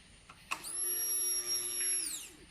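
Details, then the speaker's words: 1999 Ducati 996 Superbike new in-tank fuel pump bench-tested at key-on before tank insertion: high clean whine spins up, holds about a second and a half, winds down; pump primes normally, successful installation. "alright alright that is pump is working alright we have a successful installation"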